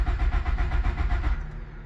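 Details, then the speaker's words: 1997 Nissan 200SX (B14) that sat about 10 years, with brake cleaner sprayed into an intake port near the throttle body: a short burst of rough firing that dies after about 1.5 seconds. "I sprayed probably way too much that time let's see what it does again wow ran for a minute there"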